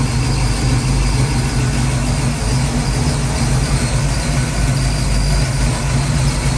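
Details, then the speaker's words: Ford 289 331 stroker rebuild, second start-up, warmed up with oil pressure: deep V8 idle with uneven loping beat, wants to die, held up on the idle stop; the mixture screws need adjusting. "okay it's island now [Music] wants to die [Music] got oil pressure water temp is up now definitely needs the idle fixed"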